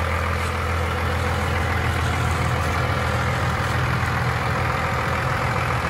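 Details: 1995 Dodge Ram 3500 dually 4x4 with a 12-valve 5.9 Cummins diesel, five-speed manual and 45,628 original miles, idling just after startup. Deep steady idle with an even low rumble, no knocks or misses; normal idle.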